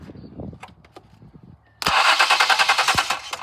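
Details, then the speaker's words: 2014 Ford Explorer Police Interceptor AWD, ran fine two days earlier: after light clicks a loud fast rattling whir about three pulses a second continues even with key out; starter stuck engaged, suspected bad starter. "the starter still spins. I'm going to turn on the ignition just so you can hear the engine. You can hear the starter stuck on there."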